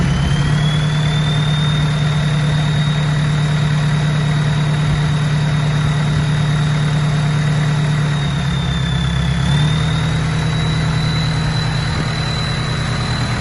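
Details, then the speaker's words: Mercedes Sprinter diesel at idle with the catalytic converter removed just off the turbo: high, thin, loud turbo whistle held steady over a low idle; loud turbo whistle, cat removed. "Sounds so much better without a stupid cat just off the turbo."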